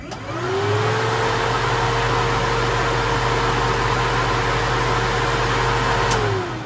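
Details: Newly installed budget DIY heater blower in a 1936 Chevy Coupe hot rod, first test with ignition on: spins up to a steady, even hum with a clean motor tone, holds constant, winds down smoothly; fan runs normally.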